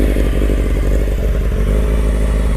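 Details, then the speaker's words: Restored 1995 Honda CBR600F3 (30 years old, engine largely redone) stopped during its first real road ride: steady, even idle with quick regular firing pulses, no knock or rattle; clutch and everything sound normal. "everything sounds normal"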